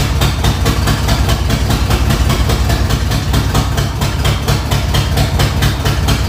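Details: 302 V8 just swapped into the vehicle: at first start it idles loud with an uneven lope, pulses stumbling four or five times a second, not running well; owner suspects a wiring fault; rough running.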